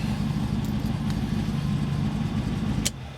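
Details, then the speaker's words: MGB GT with new distributor and electronic ignition, cold start after the failed rotor arm was replaced with the original Lucas rotor: steady, even low idle thrum with no misfire or stumble, running cleanly. "that's even a cold start."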